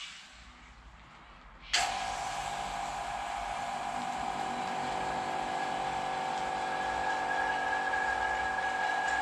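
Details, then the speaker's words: Vacuum pump for carbon infusion running after reseating a popped o-ring in the chamber lid: sudden rush, then a steady, even mid-pitched whine with no surging; sounds much better, though a leak is still suspected. "that sounds much better now run back through now that we've got that vacuum down itself help and pull the back down hopefully the pump isn't too noisy on the video"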